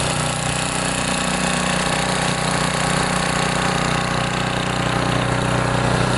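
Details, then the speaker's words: Old Tecumseh 8–10 hp single-cylinder snowblower engine after carburetor rebuild, cleanup and oil change, primed with controls set to full: steady fast even beat, no misses or surging; runs beautifully after early roughness, probably water, cleared. "This thing runs beautiful. I'm really happy."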